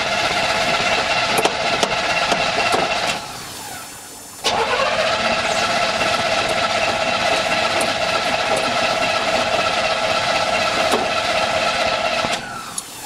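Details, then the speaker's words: 1984 Chevy K10 Silverado cranks steadily at about four turns a second but won't start despite a new fuel filter; it fires and runs briefly when gas is splashed in the carburetor, pointing to fuel delivery, not confirmed. "well that didn't work I do know that when I Splash gas in the carburetor that it does fire off and runs actually pretty decent for a minute or two"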